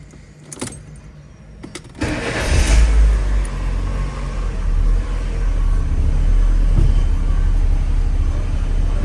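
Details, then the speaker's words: A 2008 Fiat Palio with the 1.4 Fire engine, after its worn, noisy power steering box was replaced along with contaminated fluid and a pivot. The engine starts and idles smoothly while steering, with no more of the old creaking noise. Steering is quiet. "Vamos esterçar para ver se faz o barulho. Não faz mais o barulho. Tá vendo, galera? Resolveu, ó."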